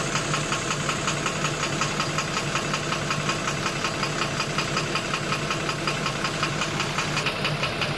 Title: 12-M FE Engine Knocking Problem | Step by Step Guide